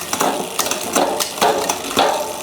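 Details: HUP Featherweight youth XC race bike with a Shimano XT 10-speed drivetrain, after the sluggish downshifts were fixed by turning the lever barrel adjuster two turns in to ease cable tension: quick, clean, crisp clicks every half second across the cogs, indexing correct.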